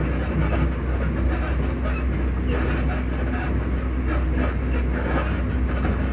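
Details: Class 334 electric multiple unit passenger train under way between Edinburgh Park and Haymarket, heard from inside; steady deep rumble with a rough, uneven low thudding from noisy suspension, cause unknown.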